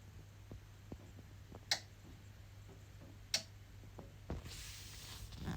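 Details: EcoFlow Delta Pro. Sharp single relay clicks at uneven gaps over a quiet hum, lasting 30+ minutes in early morning and evening. Low solar panel input makes it repeatedly connect and disconnect.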